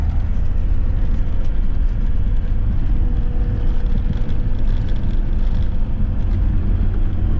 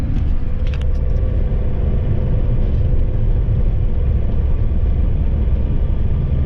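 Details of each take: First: Ford Transit Mk7 front-wheel-drive van on test drive after replacing driver's side front wheel bearing that had rumbled for weeks; only smooth, even low road rumble, no hum or growl, silky smooth, normal quiet driving. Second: Ford Transit Mk7 front-wheel-drive van driving with a worn driver's-side front wheel bearing, rumbling for a couple of weeks: deep, constant rumbling drone under road noise with no ticks or knocks; bearing and hub then replaced.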